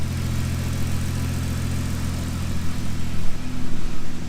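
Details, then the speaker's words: Ford Excursion after an injector job: steady, even idle with a low smooth hum and no stumble or miss. The engine now runs smooth and sounds healthy. "so looks like she runs pretty smooth now"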